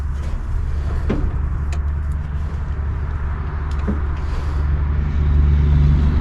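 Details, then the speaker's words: 1964 Pontiac Grand Prix 389 V8, unrun for years, starter jumped and coil hot-wired: low, even cranking rumble about three beats a second that never catches; crank no start, no spark found, points suspected (rusted rotor/cap tab found). "i'm going to say we ain't got a spark let me uh check it real quick oh okay no spark so points it is"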